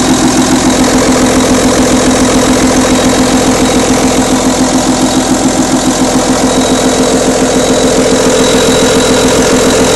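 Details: Audi A6 2.5 TDI diesel at idle: fast, even clatter of about three to four a second over the drone, from the top end; camshaft, hydraulic lifters or rocker arms suspected, not confirmed.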